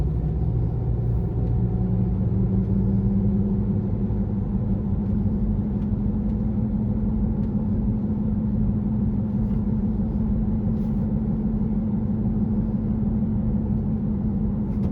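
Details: 2018 Honda CR-V while cruising at 25–50 MPH: steady low humming drone over road noise, present since new; not heard with the front wheels lifted; owner suspects hub assembly or tyres.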